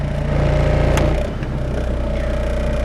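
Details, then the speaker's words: Mitsubishi 4G92 automatic, after repair of hesitation, no idle and misfire (coil, plug leads, airflow sensor): steady low idle hum around 900 rpm with AC on and in gear, no hunting or stumbling; idle control working properly. "แอร์เข้าเกี่ยวรอบอยู่มัน900เลยนะครับอ่ะอย่าหลอกว่าได้ประมาณนี้เลยเปิดแอร์ก็ได้ประมาณนี้แล้วครับ"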